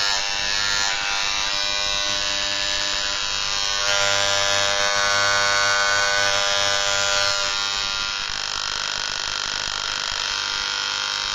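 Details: Moser 1400 hair clipper (likely counterfeit, pet version), about 3 years of occasional use on dogs: harsh loud buzz with metallic rattle and vibration, armature striking housing; usually fixed by turning the adjustment screw on the housing.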